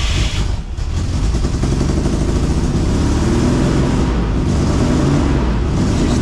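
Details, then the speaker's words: Barn-find Camaro V6 with a freshly rebuilt carburetor, after connecting the old canister vent line and fitting the air breather: rough, uneven idle with an irregular stumble, still missing; owner suspects fouled plugs, not confirmed. "missing. Okay, I might have foul plugs now. I'm not sure."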